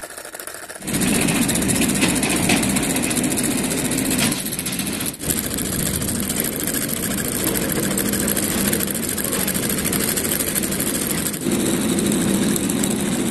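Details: Homemade solenoid engine with copper-wire-wound cylinder, relay and propeller on the crankshaft, powered by a 12 V LiPo battery: after a short start it runs steadily with a fast continuous buzzing chatter of about three to four pulses a second; normal running.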